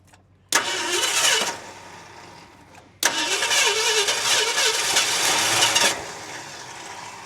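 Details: Barn-find 1971 Ford F350 Crew Cab first start after years sitting, fed by a primed auxiliary fuel system, distributor left loose: two cranking bursts, then it catches and runs ragged and uneven, sagging. Hard start; timing suspected off; major tick suspected lifter or rod.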